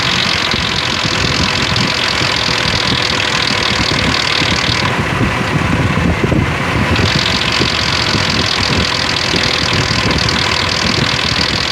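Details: 2003 Ford Explorer idling with a busy metallic rattle over the steady run from bad timing chain guides and tensioners.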